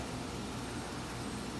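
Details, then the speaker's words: Condenser: even, constant fan rush with a steady low compressor drone and no rattles or squeals; running normally. "hopefully that's not what's in those air handlers in there but I don't think that would have lasted this long at the work that sounds pretty good"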